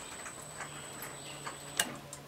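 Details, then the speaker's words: On a homemade bandsaw sawmill, the lubricant solenoid makes one sharp click over a faint low hum when its button is pressed. This is normal solenoid operation. "button is the lubricant solenoid you'll hear that click in throttle"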